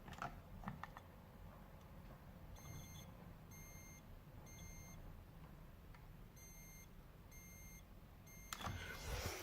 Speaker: can hear the faintest of alarms going off now obviously in a an emergency situation this is an ideal it's never going to wake you up in a million years in the middle of the night so we need to get it changed